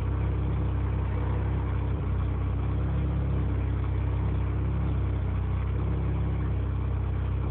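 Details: Mazda RX-7 with a 20B three-rotor engine: low, throbbing idle with an uneven, lumpy beat instead of a smooth hum; rough idle.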